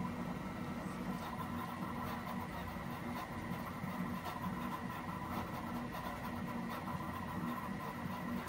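Steady fan hum with soft, busy stepper whirring; a 3D printer printing normally on soft damping feet.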